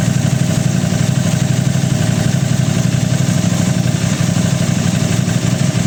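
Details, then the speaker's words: Aprilia RS660 right after an ECU remap and new front tyre, communication error codes cleared with a Texa tool: steady even low idle with a smooth firing beat, no misses, knocks or rattles. "I've cleared them all down, and it's all good now. Just going to start it up."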